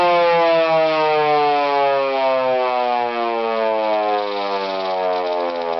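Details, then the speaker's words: First test of a homemade Model 2 siren (50-year-old Thunderbolt chopper motor, new Federal Model 2 stator, experimental aluminum air tube): steady rising wail, clean tone climbing as the rotor spins up. Normal. "Huh. Guess it sounds like a model 2."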